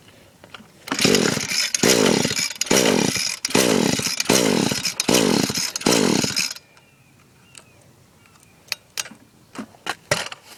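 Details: Echo SRM-210 trimmer on fresh two-stroke mix, starter spray used: seven rough pull-cord bursts, each catching briefly then dying; afterward the spark plug is wet, compression about 150, stop leads already checked; cranks but will not start.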